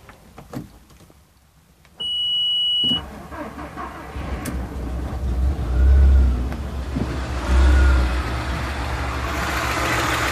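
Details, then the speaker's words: Audi A3 1.8 20v, cylinder 2 worn rings with compression under 5 bar (others fine): cranks, catches, then idles unevenly with lumpy surging beat, shaking as if on three cylinders, cylinder 2 not firing; misfire from low compression. "não sei se dá pr visualizar bem o motor está vibrando muito aí como se tivesse funcionando apenas TR cilindros que no caso seria o cilindro número do que não está ocorrendo a a queima do combustível"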